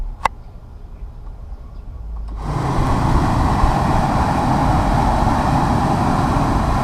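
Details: 2006 Ford Expedition with a newly installed replacement A/C blower motor: quiet, then it spins up to a strong, steady whoosh with even airflow and no rattle. The new blower is running properly.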